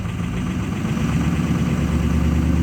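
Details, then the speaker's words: 2006 Ford F250 Super Duty 6.0 Power Stroke diesel, block-heated, revved with foot to the floor; deep drone wavers unevenly, seems to break free after a while; rough running with loss of power, can't exceed 40 mph, cause unknown. "my foots to the floor seems like it breaks free after a while"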